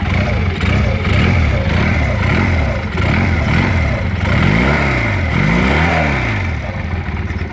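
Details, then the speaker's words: Rebel 150cc water-cooled motorcycle, owner fitted single carburetor: several clean throttle blips, pitch rising and falling smoothly with no rattle or misfire; engine runs very smoothly. "Nổ cực kỳ êm, một bình xăng là nó đều hơn, chạy nó ít thôi xăng hơn."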